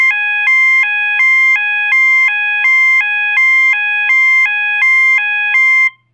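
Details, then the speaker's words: System Sensor MASS121575ADA alarm sounder, 800/1000 Hz alternating high-low tone with clips A and C inserted: two clean tones swap about every third of a second, steady and even, a slightly slower high-low pattern. "the next tone that we're gonna do is 800 and 1,000 alternating also known as the high-low tone and it does sound like the high low on the gos except this one this tone is a little bit slower high-low than the gos"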